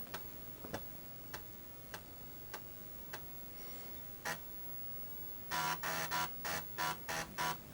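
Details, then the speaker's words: Early-1990s Microbyte HC120 XT-clone computer booting from a boot disk after repairs: regular light ticks about every half second, then loud rapid buzzing seeks from its very noisy hard drive; normal hard drive seek noise. "And it's booting up fine with its very noisy hard drive."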